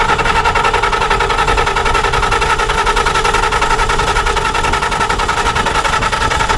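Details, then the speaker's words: 300 kW standby generator in the cold, cranking at length without starting; rapid steady cranking pulses, no catch. Fuel, spark and compression checked, then it ran with cause unknown; ignition module reset helped later and it may need replacement if starting issues continue. "I had to put the camera down for a minute because the uh the generator wouldn't start so I checked fuel I checked spark I did a compression check"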